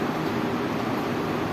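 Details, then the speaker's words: Window AC fan motor that made noise after one or two minutes of running, now reconnected after repair; smooth even hum with steady airflow rush, no ticking, scraping or squeal; running normally with no sound. "हां बिल्कुल ठीक है और कोई sound वगैरह भी नहीं आ रही है इसके चलते चलने देते हैं"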